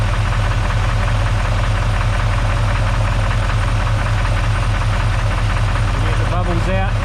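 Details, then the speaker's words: Chevy 350 small block V8 idling as it warms: a loud continuous loose rattle returns once oil pressure comes up, oil pressure just under 30, temp about 180. Source unclear. "ah here comes the CL cl's coming back now since when oil pressure comes up we get a CL weird"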